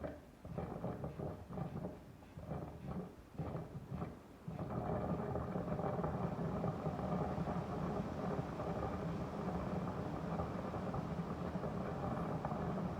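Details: Daikin Urusara AN40PRP-W air conditioner: irregular bubbling bursts about four a second, then a continuous low rumbling boil; quite loud, the owner thinks it is water sounding like it's boiling. Cause not confirmed.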